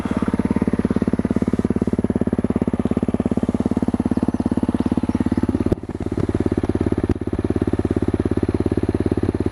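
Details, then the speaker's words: Honda CRF250L with FMF Q4 HEX slip-on exhaust, stock head pipe, no airbox mod: steady single-cylinder idle thump, deep throaty note louder than stock but not obnoxious, no misses or knocks; normal idle. "But actually, it's not obnoxious loud sitting here idling. I mean, that's not that loud at all. You can tell a big difference over stock, but to me, it don't sound that obnoxious loud."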